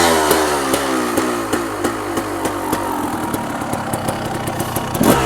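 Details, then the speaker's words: 1990 Honda CR250R two-stroke, after a new plug and some carburetor work: uneven popping run that never clears into a crisp rev, bogging and choking off; owner suspects HPP power valve not opening or carburetor. "it doesn't it doesn't come on the apartment like I supposed to kind of chokes off so I'm gonna start the HPP valve may not be opening it could be a problem the carburetor"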